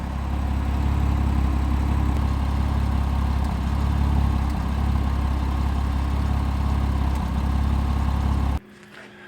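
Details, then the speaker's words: 2007 Porsche Cayman 987 base idling with a light single-cylinder misfire, occasional brief stumbles in a steady low idle; water got into the fourth cylinder coil pack, plugs and coils to be replaced as the hoped-for fix. "all right so you can hear that little misfire uh hopefully changing the spark plugs in the coils are going to fix the problem"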